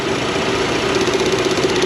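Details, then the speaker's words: Idling petrol engine in the shop: fast, even ticking of about ten per second as the EVAP purge valve clicks and passes vacuum even when commanded to zero on the scan tool. Bad purge valve stuck open. "I started it up and the purge valve started clicking and it's passing vacuum and it the purge valve was clicking already"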